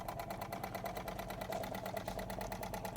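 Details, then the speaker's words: Wilesco D20 toy steam engine running at very low boiler pressure with the steam regulator open: light, quick, even chuffing with no knocks or rattles; runs smoothly and quietly, normal running. "can hear it's another Wilesco that runs so smoothly, so quiet."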